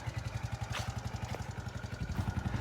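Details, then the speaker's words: 2012 or 2013 TaoTao 50cc single-cylinder scooter, 410 miles, just revived with a quart of gas and a swapped battery, ridden slowly up a hill. Fast little putter at idle with a slight waver in loudness; owner suspects carburetor adjustments still needed. "Probably got some carburetor adjustments to do still. Still running, but that's good."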